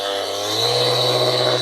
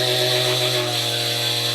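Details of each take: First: Ryobi cordless polisher after grease replacement, running up through speed settings: steady high-pitched motor whine with harsh buzzy rattle on top from the loose battery pack chattering in its mount when not held. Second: Ryobi cordless polisher after replacing the gearbox grease, battery held to stop its rattle: clean steady motor whine easing to a lower even tone, no grinding; gearbox running smooth and much quieter.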